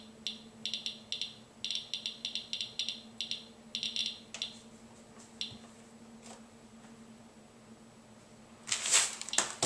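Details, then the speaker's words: Geiger counter on a check source in a Ziploc bag, weakly radioactive beta emitter: sharp random ticks in quick clusters, roughly four a second, in a quiet room; quick confirmation the counter works. "but it allows you to tell if your Geer counter is working take a look it is a quick way to determine if your Giger counter is working"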